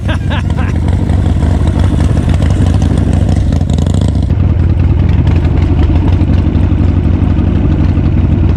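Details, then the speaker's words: 1984 Harley-Davidson with hopped-up V-twin, being revived, fuel line replaced, dirty fuel drained: loud, lumpy run with uneven stumbling beats dropping out irregularly; missing and hesitating, cause not pinned down. "It's a missing. That's That's why I want to jump on it. There's a little bit of a hesitation."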